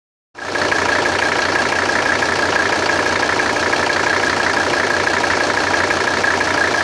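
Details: 1984 Mercedes 300SD 3.0 five-cylinder diesel at idle: steady idle with a quick, fairly even metallic clatter about three per second; source not yet identified.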